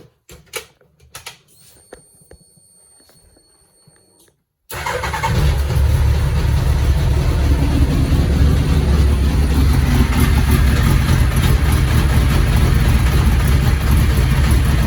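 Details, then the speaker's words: Classic Mini Z-car with custom body, unused for a couple of years, first start after rewiring. Low lumpy idle; suspected to need more tickover or fresh fuel. "she lives it sounds a little bit like she needs a bit of tick over to be honest or some new fuel"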